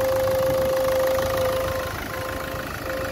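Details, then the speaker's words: Ford Focus 1.6 at idle: a steady mid-pitched trumpet-like honk comes from the coolant expansion tank as pressure builds in the cooling system. The owner suspects a head gasket, and mentions the EGR cooler; unconfirmed. "Ford Focus strange noise coming from editing sounds like a trumpet possibly head gasket problem"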